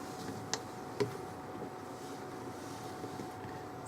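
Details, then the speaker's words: 2003 Abbey Inspiration 520L caravan fridge switched to gas: a few sharp, isolated clicks about half a second apart as the igniter sparks; clicking stops once the gas is lit; normal. "be clicking and then when it stops clicking it's lit under gas and it works on the gas"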